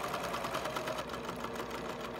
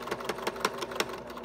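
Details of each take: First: Sewing machine with a Schmetz Microtex sharp needle for fine fabric, sewing a marker case: quick, even stitching rhythm with steady light clatter and no catching or thumping, unlike the sound of a needle needing replacement. Normal sewing. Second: Sewing machine stitching after mending through many thick layers; rapid stitching about six strokes a second with a sharp thud on each stroke; the needle is slightly bent and needs changing.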